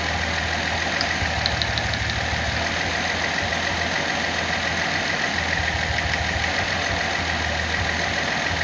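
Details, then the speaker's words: Nissan L28ET six at idle after manifold gasket repair cured misfire; plug leads pulled one at a time as a crude power balance test, uneven lumpy beat as one cylinder drops out. "Another way to do it a little more crude is just pull the plugs off one at a time."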